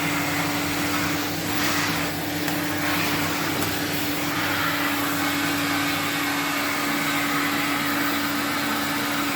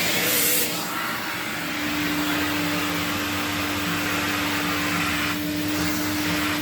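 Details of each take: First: 1979 Electrolux Z96 vacuum cleaner, about four or five minutes warm: steady even motor hum and clean whine, no surging or rattle, sounds healthier winding down; normal running. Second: 1979 Electrolux Z96 vacuum cleaner, floor head on carpet: steady motor roar with a strained hum as if airflow is choked; owner suspects it needs an air release, sounds healthier after a few minutes' running; vacuum motor labouring.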